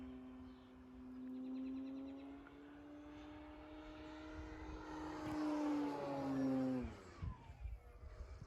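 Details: FMS Pitts RC plane in flight after mods to secure the battery tray, which had caused an earlier rattle: clean, steady prop tone swelling and dropping as it passes, with no rattle or buzz; motor and prop run smooth.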